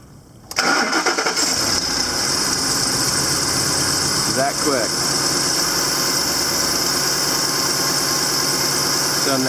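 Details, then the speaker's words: 2010 Ford truck, about 170,000 miles, first start after the injector repair: catches quickly and settles straight into an even, steady idle with no misses or knocks and little steam; sounds healthy. "she's run super smooth sounds like you coming listen I don't see any steam coming out not much steaming - yeah sounds good"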